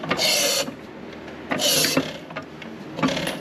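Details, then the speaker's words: 1933 John Deere Model E 1.5HP hit-and-miss engine hand-cranked: slow swishing pulls with no firm compression puff, little to no compression, with rings suspected stuck. "So when you crank it over, it's got little to no compression, but those rings I'm sure are stuck."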